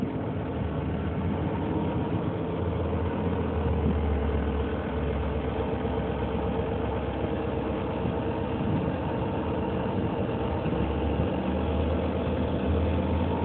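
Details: 2003 Nissan Murano at idle: steady drone with a faint rapid beat, about four per second, riding on it; abnormal engine noise, cause unknown.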